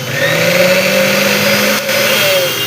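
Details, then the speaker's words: Old-model mixer grinder motor, after repair: worn bush and both carbon brushes replaced to cure excessive running noise; steady high motor whir, even tone, no rattle or grinding; runs smoothly, noise fully gone. "तो यह दोस्तों बिल्कुल ही smooth चलने लगी है और अब इसमें कोई भी दिक्कत नहीं है।"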